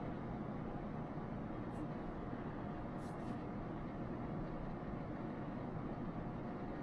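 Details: RV bedroom rooftop air conditioner/heat pump fan running with WackO A/C silencer installed, roughly 4–5 dB quieter: smooth steady air whoosh and low hum, no rattles or pulsing; normal fan operation.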